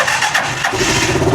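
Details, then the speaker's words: Rusi Chariot 175 single-cylinder motorcycle started cold, first start of the day with the muffler very cold: it catches quickly and settles into an even idle with no misfires or stumbles. A healthy cold start. "So malamig pa ito, start natin guys. Hindi ko pa ito na-start kanina. So malamig pa itong ating makina."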